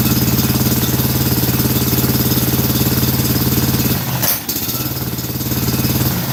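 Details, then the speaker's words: Scag mower with Kawasaki twin engine and a new carburetor, kill-wire test suggesting one side dead: lopsided hollow thumping about three beats a second instead of an even twin rhythm; running on one cylinder. "It's only running on one cylinder."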